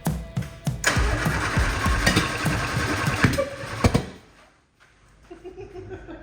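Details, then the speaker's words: 1967 Austin Healey Sprite after years of neglect: cranking chug broken by sharp irregular pops and backfires that never catch into a run; it never did this before. "so that obviously didn't work so well it's popping and backfiring like I don't I don't understand because uh it never did this before so it's kind of weird"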